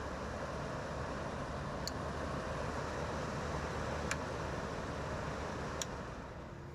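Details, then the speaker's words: GE (Haier) air conditioner fan running smoothly; even whoosh of air with no rattle or scrape, only a faint occasional tick; normal fan operation. "Let's start it up again. No noise whatsoever. You know, it's perfect."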